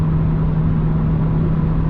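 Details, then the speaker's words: BMW M2 with M Performance exhaust and silencer inserts fitted (fiberglass wrap advised), valves closed, comfort mode, cruising around 3,000 rpm: steady low hum with one even tone near 160 Hz, no booming; drone well controlled versus an earlier reading thought to be 72 dB. "All right, now we're driving with the silencers in. The exhaust is in the closed valve position and we're in comfort mode."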